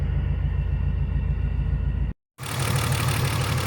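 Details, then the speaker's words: BMW E46 M54B30 with MS43 ECU, just after M56 valve cover install and pencil coil retrofit, first start: lumpy, uneven idle with a steady stumble; cylinder 2 misfiring, moved with coil swap, so a bad ignition coil. "well it started right up that's good but it sounds like it's missing a cylinder let me go check that"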